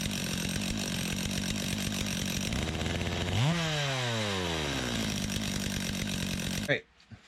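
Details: Stihl MS 250 chainsaw after oil line replacement, bar oil added: it idles with a steady buzz, revs cleanly up and down, then shuts off. It runs healthy and the oiler is confirmed working.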